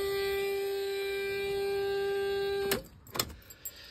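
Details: Fiat Ducato camper van on starting, a week after a service including a turn-signal stalk (comodo) replacement: steady high-pitched continuous whine then abrupt cutoff; suspected entry-step not-retracted warning buzzer.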